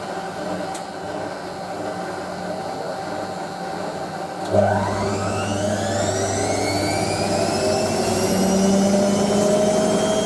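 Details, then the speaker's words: Hotpoint 9530 Electronic 1000 Plus, Programme 4 50°C coloured synthetics, polyester/cotton load: the final short spin climbs. Drum whir rises steadily in pitch, with no thumping or grinding; normal final spin. "Of course, we don't shoot up to speed just yet, though. Your machine just around reach 1,000, but try to go as fast as you can go."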